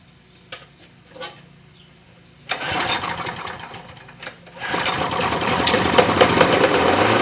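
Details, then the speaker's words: Push mower after replacing the primer button, which previously wouldn't start: after a few clicks and a pull it catches and settles into a steady, even run; starts and runs fine. "Alright, see what happens. Ooh. That primer the snot out of it. There we go. Now I really hear gas going in."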